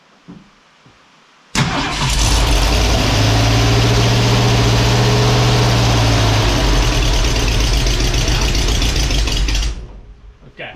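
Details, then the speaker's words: Ford Falcon wagon with a swapped SBF 302 V8: brief cranking, then it catches at once and holds a steady, even rumble with no misses for eight seconds. Normal start and run. "good deal she's firing she's running we got a few things left to button up on it"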